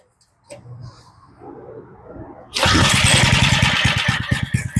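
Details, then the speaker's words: Old Craftsman edger fitted with replacement engine after blown motor, started on full choke; small engine catches and settles into quick, even popping beats, idling low with no stumbling: normal start, starts and runs good. "This sounds pretty good. I love it when something will idle that low. Well, she starts good, she runs good."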